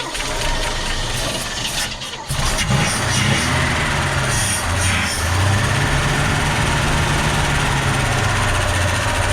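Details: 1963 Chevy Fleetside pickup, 292 inline-six, first start after 26 years with new points, plugs, wires and battery and a cleaned carburetor: starter whirs, catches about two seconds in, steady even low rumble; a gas leak was found afterward.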